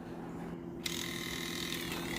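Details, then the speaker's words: Nintendo Wii disc drive, after an HDMI mod: low hum, then a whirring mechanism with a gritty, ratcheting tick while a disc loads; the ticking on insert and eject is traced to a cracked gear. "After figuring out that problem let's now addressed the second problem I mentioned earlier in this video and is that this we has a ticking noise when inserting and ejecting the disc"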